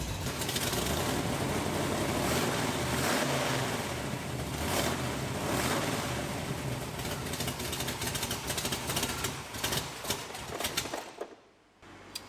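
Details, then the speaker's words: 1967 Chevrolet Camaro SS 4-speed V8, first run after 15 years, cold, 60 psi oil at idle, not in gear with wheels off the ground: it runs rough and uneven, then fades and stalls; possibly ran out of gas or the fuel pump isn't picking up fuel. "What happened there? Did we run out of gas or is the fuel pump not picking up fuel?"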